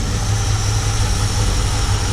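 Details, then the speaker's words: 1960 Buick LeSabre warmed up after long hibernation and fuel pump replacement: low, even, steady idle, earlier tick gone, no misses; purring smooth and quiet. "Boy, listen to how quiet that thing that thing's just purring. Little tick went away. Hadn't started over here. So smooth and quiet."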